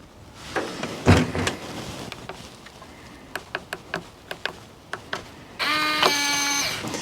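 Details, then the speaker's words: RV door keypad lock after holding keypad button 1 for five seconds to mute beeps: keycode and key fob lock/unlock give sharp lock-throw clicks and a short motor whir with no chirps; lock works normally, beeps muted. "i put in my code no beeps use the key fob no beeps that's lock and that's unlock"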